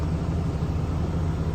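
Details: 2020 Ram 2500 Cummins diesel, just started after oil and fuel filter change: low, steady idle rumble with even beat, no knocks or misses; smooth.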